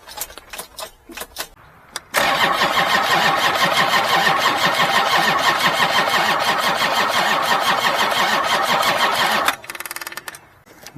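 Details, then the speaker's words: Old Kubota diesel in about 30°F cold: steady, labored cranking at about three beats per second for seven seconds without catching; slow cranking, no start. "it's giving it a little boost huh you can definitely hear the difference"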